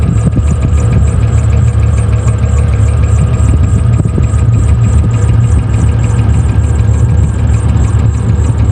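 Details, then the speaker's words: V8 from an LS swap in an old work truck, first start after swapping an intake with a big hole and a missing sensor: rough idle, light tapping about three per second over heavy rumble. Big massive air leak in the engine; tapping remains. "All right. Well, that was a problem. Big massive air leak in the engine. It didn't like that."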